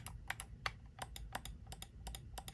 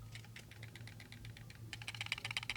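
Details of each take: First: they both have different signature sounds which is crazy that they put that um this one has a nice satisfying click Second: SteelSeries Rival 3 wireless mouse shaken by hand: light plastic clicks and ticks in quick bursts, something loose inside; owner suspects the USB dongle stored in the mouse.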